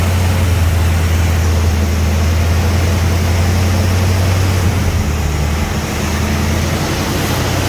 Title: hard start then surging idle